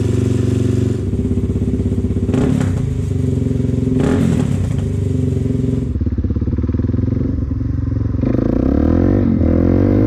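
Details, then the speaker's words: 2004 Suzuki DRZ400S, cold at about 45°, on a richer pilot jet with the fuel screw at three turns out: blipped thumping with a few pops. Still slightly lean and backfiring a bit; the carb float-bowl gasket was found too big and not sealing. "Yeah, it's still just a touch lean. It's why it's backfiring a little bit, but it's maybe 45°, so once it warms up to 60, 70, 80°, this thing should run mint."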